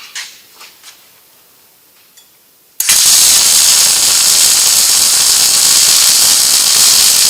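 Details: Riland MIG 2000T multi-process welder, settings lowered from about 21.8 V and wire speed 311 toward 217 with arc and induction adjusted: after a quiet start the arc settles into a steady, even frying crackle without popping; well set up.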